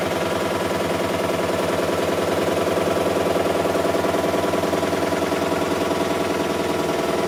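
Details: Miele Softtronic W6544 washing machine, drum loose and noisy (bearing damage questioned): regular clunk about twice a second in time with drum rotation; drum loose on a broken drum spider (Trommelkreuz).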